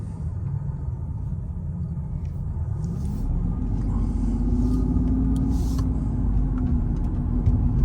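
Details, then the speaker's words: 2005 Mercedes CL600 V12, misfire fixed by replacing the voltage transformer so it now runs on all 12 cylinders instead of six, accelerating uphill: deep, even rumble climbing smoothly with no stumble. "this car is supposed to feel raw power baby and smooth smooth a nice moan not too aggressive good power"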